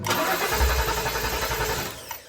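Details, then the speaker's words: 2013 Ford F-150 5.0 Coyote after belt tensioner replacement, accelerator held to the floor so it cranks without starting: even rhythmic starter cranking for about two seconds, no firing, to check the new belt. "on these newer Fords, if you hold it to the floor, it will not start. It'll just crank."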